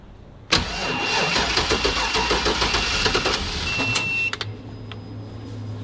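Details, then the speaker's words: 1973 Chevrolet van with mass air flow sensor removed, running speed density: starter turns over sluggishly at about three and a half beats a second before catching near four seconds; slow cranking, battery suspected to be toast. "I think that battery's toast yep okay watch your hands"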